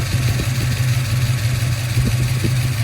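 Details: 1971 Ford Torino with a 351 Cleveland V8 at idle after installing an upgraded 17-inch cooling fan with stock-position spacer: steady deep idle with a constant rush of fan air and no knocks or misses; runs fine.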